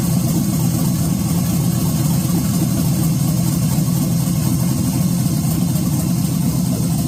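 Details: 1986 Chevy Caprice box body with swapped 5.3 V8, 4L60E and aftermarket cam, first start on a 60 tune: deep, steady V8 rumble at idle with a slightly choppy cam lope underneath; engine idling healthy, normal.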